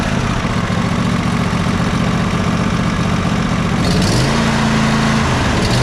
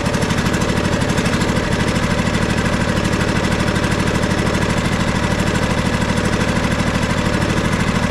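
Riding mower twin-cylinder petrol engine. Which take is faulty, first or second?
second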